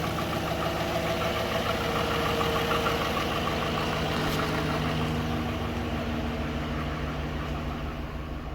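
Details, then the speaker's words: 2013 GMC Sierra 5.3L V8, 198,000 miles, after replacing all lifters, camshaft, timing chain and oil pump: steady idle with faint even lifter patter fading as oil pressure builds; running smooth. "It's running good. Can hear the lifters getting primed"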